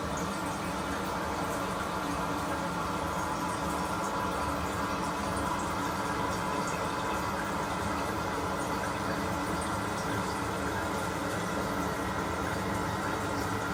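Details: Toilet refill after a water hammer arrestor was fitted vertically on the 3/8" compression supply valve (about 60 psi), with a steady rushing tank fill and no bangs or knocks; the supply pipes refill quietly and normally.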